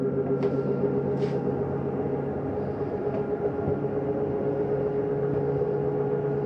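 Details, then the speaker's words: 2023 Jayco Jay Flight 324BDS RV slide-out retracting: steady motor hum with even tone and a couple of light clicks as the mechanism reaches fully in; normal operation. "Once you hear that noise, you may hear it going out, coming in. That's just the slide mechanism saying, hey, I'm all the way in."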